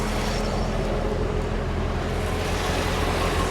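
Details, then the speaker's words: C6 Corvette LS3 with K&N cold air intake: deep, steady V8 burble at idle with even pulse and no knocks or ticks; normal idle. "Boy, it purrs like a kitten. It does. She runs out nice."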